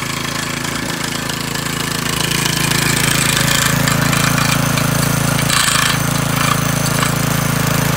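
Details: McClane 3.5hp edger with Briggs & Stratton engine, after a carburetor tune-up, oil change and fresh fuel following years of sitting, started cold. It holds a steady, even beat under cutting load without stumbling or surging. Runs well and cuts a nice line.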